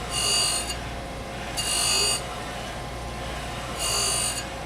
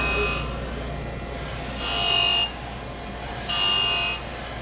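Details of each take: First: Okamoto 818 surface grinder, side-grinding a heat-treated cavity block on a 6x6 Hermann Schmidt magnetic squaring chuck, stepping over only ten thousandths: harsh high-pitched grinding in bursts about every two seconds while cutting through heat-treat scale. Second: Okamoto surface grinder with 46G wheel grinding heat-treated insert, feed raised to 30%: harsh hissing grind swelling each pass about every two seconds over steady spindle hum, spindle load low; normal heavy cut.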